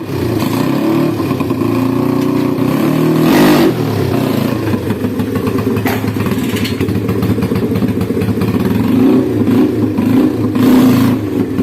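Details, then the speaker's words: Honda Scoopy ESP scooter after replacing the damaged CVT roller housing with its stuck spacer (before: no power, weak pull, rough CVT noise): engine note climbs smoothly with throttle, no slipping or judder; acceleration and top speed good; normal acceleration. "This is a motorbike, OK, acceleration is good, top speed is also good, OK, friends, I hope this video is useful."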